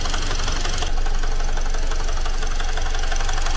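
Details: Great Wall car engine idling right after a teardown repair: a loud, fairly regular knock of about three per second, a tractor-like clatter absent before the repair. Owner says oil was added; the engine is reopened and the source is not yet known.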